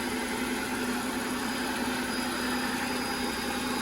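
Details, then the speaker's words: Audi/VW engine first start after an oil change, clutch in. A steady, smooth idle hum with no loud noises, knocks or banging. "as you guys can hear it fired up perfectly fine no loud noises no banging no nothing just fire it up so"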